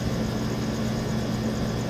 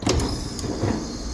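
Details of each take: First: Walk-in freezer compressor after repairing two burnt supply wires, cutting out at 13 suction: a steady hum, then two sharp clunks at shutdown; an internal fault or check valve problem is suspected, not confirmed. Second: Walk-in freezer on a late-night no-cooling call, after burnt wires were replaced and the cover was refitted: sharp contactor click, then the compressor settles into a steady low hum with no rattle or buzzing. Sounds right, normal running; service gauges to follow.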